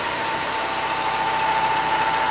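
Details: Peugeot 207/307 with the oil pan refitted and fresh oil, gauge on the oil pressure switch port: smooth, even idle with a steady hum, no knocks or rattles. Healthy engine showing 4 bar oil pressure.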